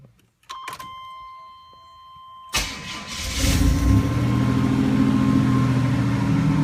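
Engine cranks, fires and idles with a steady tapping about four times a second riding over the idle; source of the knock unclear.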